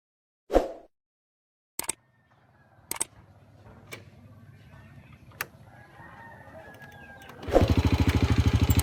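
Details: Honda Wave R100 motorcycle, cold engine: several isolated cranking thumps with long gaps before it finally fires and runs roughly; hard cold start, choke use suggested as the fix.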